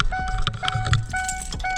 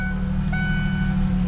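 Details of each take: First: 2002 Ford Ranger started cold and shut off before warming: door chime, then a lumpy, stumbling idle that shakes the hood. It is misfiring badly from a coil pack soaked by coolant, traced to the heater-core tee. The coil pack, plugs and wires are being replaced. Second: 2002 Ford Ranger V6 after replacing coil pack, spark plugs and wires (firing order 1-2-3-5-6-4): steady, even idle hum with no stumble; earlier misfire shake is gone, check engine light was from the misfire.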